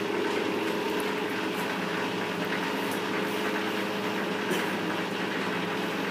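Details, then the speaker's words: Lathe (AL960B) after new spindle bearings were fitted and adjusted, fresh oil, running on the slow pulley, low range 1 at 170 RPM: smooth, even hum with no rumble, grinding or knocking from the bearings. Normal spindle run. "okay we're on slow pulley so we're on low uh one so 170 RPM we'll just give it a run for a while at this speed"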